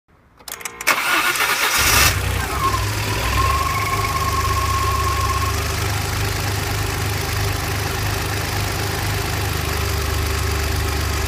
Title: bruit moteur